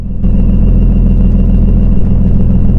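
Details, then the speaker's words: 2002 BMW E39 530i after electric fan conversion, idling after a 15-minute drive: steady low rumble with a faint constant high whine. Abnormal noise when hot; owner doesn't know what it is, happens after driving a while. "I really don't know what that is. Does it when I go ahead and drive it for a while?"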